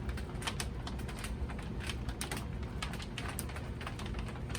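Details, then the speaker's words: Royal Sovereign large format laminator feeding vinyl: irregular dry crackles and clicks over a low rumble as the film wrinkles going through. Operator dislikes the sound; cause unconfirmed, and the micro switch is noted as sometimes sticky. "i do see this is wrinkling up a little bit hopefully it's not going to affect our job i'm not liking the sounds of that so"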